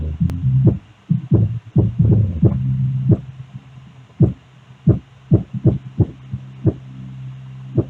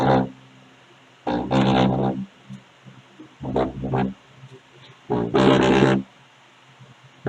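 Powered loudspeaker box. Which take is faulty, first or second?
second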